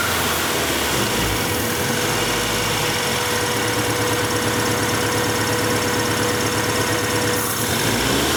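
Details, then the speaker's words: 1994 Acura Integra, 1.8 L DOHC, warm engine: steady idle drops when a finger covers the cold fast idle valve opening after its cover is removed, confirming the valve is stuck open; fix is adjusting the valve. "So what we definitely know about this Honda is this cold fast idle valve is stuck open."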